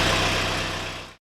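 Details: Mid-1970s International 2510B loader tractor, six-cylinder ~60 hp diesel, cold, after starter repair: steady even low rumble with no misses or knocks for about a second before it cuts off; healthy idle.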